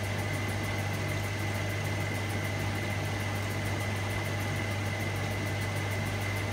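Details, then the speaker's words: Hotpoint Supermatic De Luxe 9414 twin tub, new belts fitted, spinning with rinse water: steady low hum with a faint even whir, no knocking or scraping; the spin is much quieter than before and runs smooth. "the spin is so quiet at the morning Lord before the new Falcon river gate everything is so much quieter"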